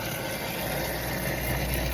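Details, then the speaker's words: Pond pump running normally after the skimmer basket was rinsed and refitted and the skimmer door reopened; even, steady whir with water rushing, no surging or gargling, noticeably quieter as water reaches the pump and it draws normally. "open that door and you notice that get the sound gets much quieter that's cuz the water is getting to the pump and the pump is drawing it in the way and"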